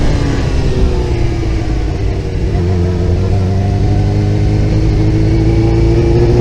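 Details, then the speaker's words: Motorcycle at about 22 mph in first gear near 4500 rpm. The engine pulls, stutters with a drop in note, then picks up, and stutters again in second. This recurs months after a fuel pump rebuild, tank clean, new filter and Seafoam. The cause is suspected, not confirmed. "so now I'm doing about 22 M hour about I in first gear of 4500 RPM here it it's a stuttering and then it picks up second gear stutters"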